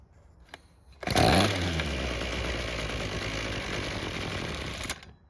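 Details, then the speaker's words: Ryobi string trimmer that wouldn't start: after the carb was taken apart and fuel confirmed flowing through the purge bulb, it fires with a loud burst, runs rough and sagging about four seconds, then dies; the idle screw was turned out during disassembly, so idle is set too low. "Now because we turned out the idle screw when taking the carb apart, we'll turn it back in some and try it again."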